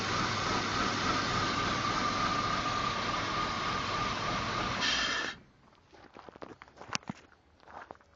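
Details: BMW 325i E36 engine at idle: steady airy hiss with a thin whistle for about five seconds, then cuts out; air intake suction noise at idle, with a vibration noise also reported around 3000 rpm.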